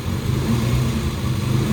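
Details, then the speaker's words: Suzuki Samurai with swapped 1.6L 16V engine, freshly started: steady low rumble slightly uneven, wants to die off idle though timing should be right; owner suspects a vacuum leak near head or injectors. "timing should be perfect but if I let off this Idol it wants to die so I got some diagnosing to do I think it's just a like a vacuum leak or something something's leaking air"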